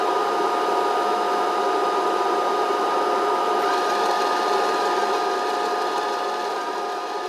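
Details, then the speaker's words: MIG welder wire feed motor, drive roller clamped on the copper wire: steady high whir with fine ticking, spinning slowly then speeding up after a few seconds with a change in note; feed motor normal. "so yeah you can hear the motor make a different noise as it speeds up after that few seconds"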